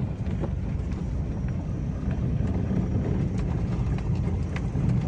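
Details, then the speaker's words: Toyota Avanza/Daihatsu Xenia 2012-up with electric power steering, after repair of the steering gearbox, driven over a rough rocky road. Steady low rumble with no knocks; the front-end clunking felt through the steering wheel is gone. Normal steering. "sudah halus tidak ada bunyi kasar ya yang bunyi krutuk-klutut di bagian kaki-kaki depan yang terasa di setir"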